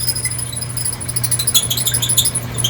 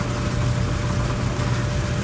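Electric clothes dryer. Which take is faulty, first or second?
first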